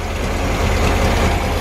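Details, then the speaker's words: VW Bus, idling about four minutes after first start, fuel pump leaking: loud, even low idle with raw, unmuffled exhaust thump through an old empty, blown-out muffler. Runs smoothly; muffler blown out. "It's idling so good. This muffler is kind of whack. It's an old empty muffler, and it's all blown out."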